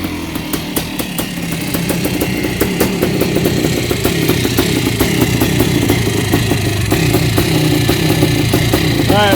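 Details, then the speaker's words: Yamaha YZ490 air-cooled two-stroke after rebuild with correct parts: crisp idle rising and settling with light blips, fairly even firing; possibly slightly rich from assembly oil. "shut her down well that is a thing of beauty wise that 490's running sounds good maybe a little bit rich it's hard to tell with the oil from assembly"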